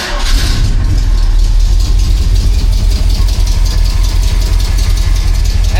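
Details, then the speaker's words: Freshly rebuilt AMC 304 in a '77 Jeep CJ-7 during break-in, with new exhaust collector gaskets: a deep, steady idle with a mild cam lope, even firing and no knocks or misses. "Still a nice smooth idle. I I like this cam a lot."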